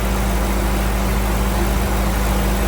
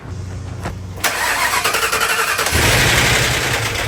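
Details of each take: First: Crown Vic V8 in a C20 frame swap, warming up from cold after its vacuum leaks were found and plugged: steady, even low rumble with no stumble, miss or hunting; idles better than before. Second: Crown Vic engine in a C20 frame swap, first start, up in the air: a loud, fast metallic clatter like a bag of bolts. An oil galley plug from the back of the head was fitted in the wrong place, so the timing chain tensioner got no oil pressure and the chain guide broke.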